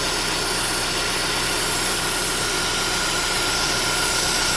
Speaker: So when we start the car, you can hear that this side is a hissing noise, like a vacuum leak inside.